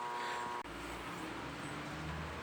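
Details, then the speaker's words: Mueller spin dryer (centrifuge) plugged in hums/growls like the motor is running but drum does not spin, as if lacking power; steady electrical hum with no spin-up. "ó tá fazendo barulho só um acho que tá dando para ver lá dentro também né que ela não tá rodando tá com esse barulho aí e não trabalha"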